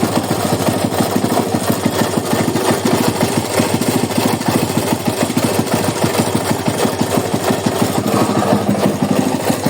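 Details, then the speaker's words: Carbureted motorcycle, likely Honda Titan, at steady idle: hard, rapid knocking rattles deep in the engine throughout; mechanic suspects a failed crankshaft bearing and will check the flywheel side for a loose coil touching the flywheel. "Solta aí o rolamento do virabrequ pifado"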